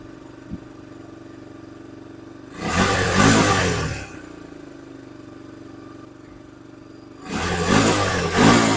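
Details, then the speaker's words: 2002 Honda TRX300EX single-cylinder quad warming up, choke just turned off after gas was drained and refilled; even idle then two clean rev blips rising and settling smoothly; idle good, running properly. "Now that idle's good too, right there. Sounds pretty good."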